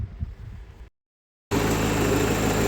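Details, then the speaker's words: Peugeot 308 after no-crank no-start fixed by replacing blown 25 A fuse (starter motor already replaced): engine starts and settles into smooth, even, steady idle with no misses or knocks. "so got the car working now. So thanks to the fuse, this fuse 25 amps that was gone, and as soon as I kind of changed it, started it, done."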